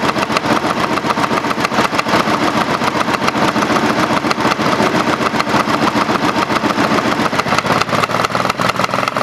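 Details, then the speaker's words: Craftsman GT5000 lawn tractor twin after Woodruff key replacement, running without cooling fan or housing: uneven, lumpy beat around three to four pulses a second with shaking rattle; vibration not worsening with rpm, owner doubts crankshaft cause, possible missing spark. "if it was a mechanical vibr ation as the RPMs got come up it would get worse you know if I had a problem with the crankshaft or some weight problem you know so I don't know what's going on"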